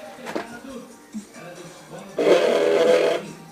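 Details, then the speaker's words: Xbox Super Slim gives about a second of loud, harsh whirring when the tray closes on an empty disc drive, with no noise when a disc is inside; owner suspects the cooling fan, cause unconfirmed. "quando tá sem CD dentro né quando eu fecho a bandeja do videogame ele faz um barulho muito alto estranho"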